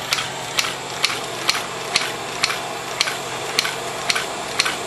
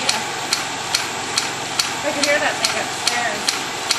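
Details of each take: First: Beta Stirling engine running with little torque or pulling capability, speed creeping up a little after slowing; crisp, even ticking about two per second over a light hum; normal running. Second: Beta Stirling engine running on blow torch: sharp, evenly spaced clacks a little over twice a second over faint hiss as it speeds up; something loose knocking, needs improvement.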